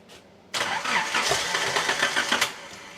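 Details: Nissan 200SX on a Speeduino Ocelot standalone ECU, first start attempt after adding more air in the tune, low on fuel: starter spins the engine briskly about two seconds with uneven, slightly backfiry pulses, but it never catches.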